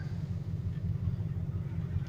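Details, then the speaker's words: 1986 Dodge W150 pushrod V8 after mechanical fuel pump replacement and priming: low, smooth, even idle at about 500-600 rpm with no knocks or misses, oil pressure good; normal idle. "Sounds good. And we're at about 500-600 RPM. It's about perfect."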